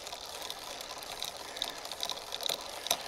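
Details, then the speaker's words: Himiway Escape e-bike on the stand, rear derailleur being fine-tuned by ear: light, uneven metallic clicking from the chain as it gets ready to jump to the next gear, showing misadjusted indexing. "see i can hear it clicking now and just getting ready to jump to the next gear"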